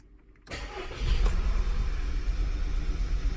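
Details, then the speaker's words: 2011 VW Tiguan 2.0 after clearing codes: starts into an uneven, stumbling idle with rough, irregular beat, check engine light on, cylinders 2 and 4 misfiring (P0300); fixed by replacing ignition coils and spark plugs. "as you can see it's got some sort of misfire going on check engine light came on already"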